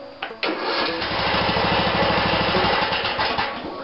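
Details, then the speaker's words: 16.5 HP Briggs & Stratton mower engine after starter taken apart and found dry: sluggish even cranking about 2.5 beats a second, not catching, hangs at compression point; owner unsure if it has compression release; slow cranking. "I don't know if this thing has a compression release or not but I can hear it turn until it hits that compression point"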